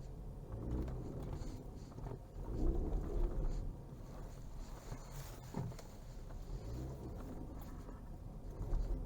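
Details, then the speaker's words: Ford Fusion 4x4 EcoBoost AWD creeping through a tight, full-lock turn on an asphalt yard: low, uneven rumbling shudder and vibration from the rear drive system, a rear differential judder. "ele faz ele faz uma espécie uma espécie de vibração vocês estão percebendo no vídeo"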